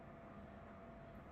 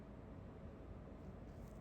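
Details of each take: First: Pluggit AP310 house ventilation unit in a utility room, about 70 dB: steady loud fan drone with a faint constant tone and rough undertone from the motors; worn motor bearing, fixed by replacing with 608-2Z/C3 bearings. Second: Pluggit AP310 house ventilation unit after replacing fan motor bearings (608-2Z/C3), previously noisy around 70–75 dB: running at full power with a soft, even whoosh, no rumble or scraping; quieter than before.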